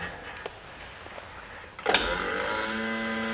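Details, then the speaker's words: Brand-new fuel pump on the bench with an amp probe: after a click it spins up to a steady, even high whine without surging, with a much more uniform current pattern; normal operation. "now see this is much more uniform pattern which is pretty good"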